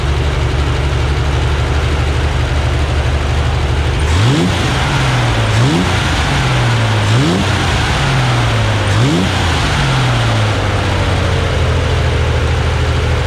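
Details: Freshly rebuilt Corvair flat-six on a test stand outdoors during carburetor synchronization: smooth, steady idle, then four quick throttle blips that rise and fall cleanly back to idle; runs normally.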